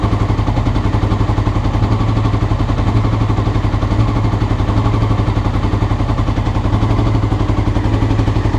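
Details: Honda CBR motorcycle recorded before changing the float needles: a low, lumpy idle with uneven, stumbling firing pulses that never settle; rough idle, cause suspected, not confirmed.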